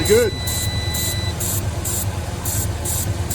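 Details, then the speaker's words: 1989 Ford Ranger during revival, first start on a jump box and homemade starter switch after rebuilding a torn spark plug wire: steady, even low idle rumble, no ticking or knocking; sounds healthy. "no ticking no nothing"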